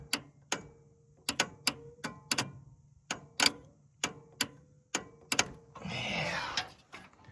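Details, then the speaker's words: Willys Hurricane engine, soaked a week and won't budge, transmission possibly locked: starter reinstalled and energized by exciter wire gives sharp, uneven clicks with no cranking; starter trying to engage but cannot turn engine. "That's a big N O. It sounds like it's trying to engage. I don't know. It sounded better earlier."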